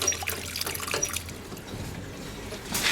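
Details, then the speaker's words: Water supply line, newly soldered fitting possibly overheated, valve cracked open under pressure: wet hiss and trickle of escaping water; leak at the fitting, a tap was also left open. "Oh, left my tap open. Oh, that's not so good. We got a leak, dudes! We got a leak!"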